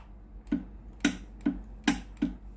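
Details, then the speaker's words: Philips GC9622 steam iron: the electrovalve clicks crisply about every half second when steam is pressed, but no steam hiss follows and the hose stays cold; the boiler heater is open circuit and the boiler needs replacing. "ผมกดปุ่มจ่ายไอ้น้ำแล้วนะครับได้ยินเสียงวาล์วน้ำทำงานปกตินะครับเสียงอิเล็กโทรวาล์วนะครับดังแจ๊กๆนะครับแต่ไอ้น้ำไม่ออกนะครับ"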